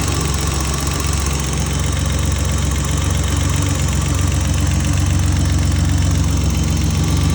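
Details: BMW M30B34 engine at steady idle with a light, fairly regular tick about four per second; owner suspects lifter tick.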